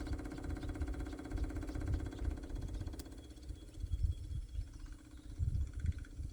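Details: International cab-over truck with reinstalled fuel tank and about five gallons of fuel; steady, even electric hum holding pitch then fading, electric fuel pump running normally.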